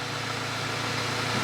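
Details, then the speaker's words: Audi S3 fitted with VW Golf R engine, first run with intercooler-to-turbo charge pipe not yet connected, warming up: steady, smooth idle with even low hum, no knocks or misses; engine healthy. "it sounds really nice sounds beautiful so I'm going to leave that to run and get up to temperature"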